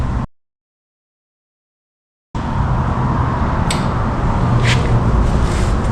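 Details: 1974 Indian ME100 two-stroke barn-find motorcycle, first start after long storage: steady buzzing idle sitting noticeably fast and even after a short silence; high idle.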